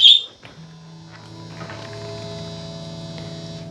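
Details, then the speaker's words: Guitar through an amp after new pickups were fitted: a steady low buzzing drone with stacked overtones that never changes. Less than with the old pickups. Touching the input jack reduces it. Cause found: no ground from the bridge tailpiece to ground. "It still hums. Not near as bad as it did with the other pickups in it. But she still hums. And it doesn't sound really good."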